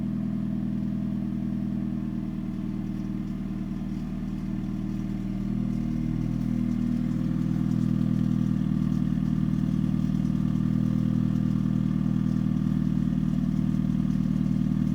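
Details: 2013 Hyundai Genesis Coupe 2.0 automatic (BK) idles with a steady low hum and a faint, fairly regular rattle; owner suspects engine, engine mounts or low-hanging exhaust, source unknown.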